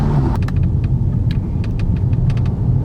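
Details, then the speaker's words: Audi 8V S3 driving with the sunroof closed after the sunroof rattle fix (two screws): only a steady low road rumble and a few faint ticks, no roof rattle; the cabin is quiet. "There we go, that's the car. I think it worked. It definitely worked."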